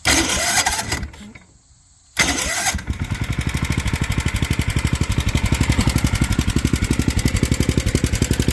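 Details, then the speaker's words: Mini tractor truck project single-cylinder engine just fitted with a new carburetor, new fuel line and fresh fuel, not yet tuned, worn spark plug and air filter: cranks, catches and settles into a steady, even putter about four beats a second; normal idle. "Woo! She sounds good. All right, definitely gonna need a spark plug."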